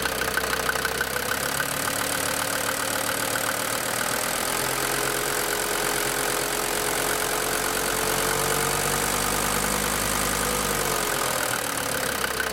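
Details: DB29 diesel idling with throttle blip, holds revs fairly well, foam in fuel and small bubbles in return line after about 3 minutes: uneven clatter rising briefly with blip then settling; likely injector or air-in-fuel knock.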